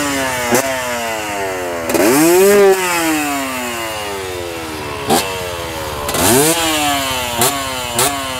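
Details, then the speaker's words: KT250 two-stroke development bike after YZ250 exhaust pipe swap, transfer-port spacer and machined barrel raising compression: crisp revs rising and falling cleanly with sharp blips and deep crackle, much beefier than before; normal two-stroke revving. "That sounds pretty sweet. Sounds much beefier than what it used to be."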